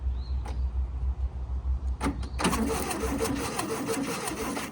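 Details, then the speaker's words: 1968 VW Baja Bug pulled from a barn after decades, cranked in neutral; after clicks the starter churns the engine in a fast even rhythm without firing; owner says the starter sounds weak, possibly the connections. "The starter doesn't sound the best, honestly, but it might be the connections."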